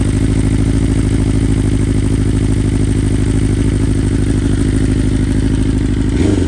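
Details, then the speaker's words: 2020 BMW S1000RR (K67) cold start on original 2020 stock software after flashing back: fast high idle with lumpy uneven beat and a dropped pulse from one dead ignition coil; needed several restarts. Ignition coil misfire. "so obviously you can hear that one of the coils just shot and um i had to you know restart it a couple times"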